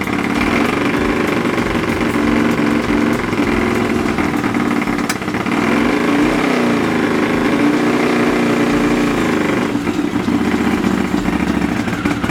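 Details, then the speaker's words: Honda CX500 café racer twin during carb colortuning: a lumpy, stumbling idle with one cylinder skipping now and then. Cylinder two doesn't ignite as often as it should, an intermittent misfire; the owner notes a known CX500 issue of cylinder two kicking in late. "okay so that was interesting number cylinder number two is that off before I take out cylinder number two doesn't seem to ignite as often as what it should"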